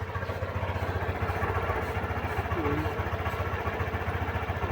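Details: Scooter (Honda Click or Yamaha Mio i) after cleaning a connector where wiring had shorted and blown a fuse: quick, steady putter at idle with no misses or knocks, no check-engine light, charging 14.3 V; runs smooth and healthy.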